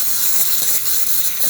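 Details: DeLonghi espresso machine after grinder repair: steam wand test, strong steady hiss with faint pump chatter underneath; good even pressure from the wand.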